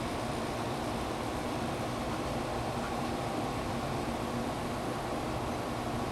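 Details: Amana 1200 W room air conditioner (rated 10.5 A) after replacing an open tactile button switch, compressor kicked on and running at 7.2 A; steady airflow hiss with constant low hum, no knocks or rattles: normal running.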